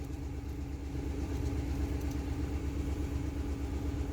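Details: Ford Expedition 5.4 V8 idling after coil pack replacement, with the scanner showing no codes and all monitors okay: even, low rumble with a steady beat and no stumbles or misses; runs smoothly.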